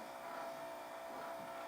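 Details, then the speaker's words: Yamaha CDC-625 CD changer with water ingress and corrosion, disc drawer won't open or close: steady whirring hum without the drawer moving, motor spinning freely; suspected slipping drawer belt, not confirmed. "that doesn't sound right um yeah okay sounds like we've got a slipping belt which is probably most likely what it is"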